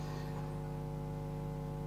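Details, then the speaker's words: Mains hum from a test valve/tube amplifier: steady low drone with no rhythm, caused by the directly heated filament (which is the cathode) being powered from an AC transformer at 2–3 volts. "the cathode is the filament which I was just powering from a AC Transformer between two and 3 volts that is what was causing all that hum"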